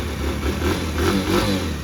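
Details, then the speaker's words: Used motorcycle at about 19,500 km with no engine noise and no smoke, all lights working: a steady, even single-cylinder putter at idle with no knock or tick; a normal idle. "ระบบไฟติดครบหมดทุกจุดนะครับเครื่องไม่ดังไม่ควันนะครับ"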